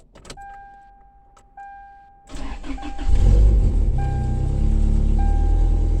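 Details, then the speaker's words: Toyota Tacoma 5-speed truck, undergoing frame patch work and running on a small snowmobile battery: a chime, then the engine catches and revs with a loud, raspy, deep exhaust note; the owner says it needs exhaust work and probably oil. Loud exhaust. "Yeah, it needs some exhaust work."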